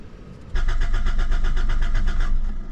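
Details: 1987 Toyota Corolla FX16 GTS with a replaced fuel pump: about two seconds of even cranking that never fires, because the pump gets no power through the jerry-rigged wiring, a suspected kill switch via relay and defroster switch. Pump ran on direct battery power and fuses and relay tested good.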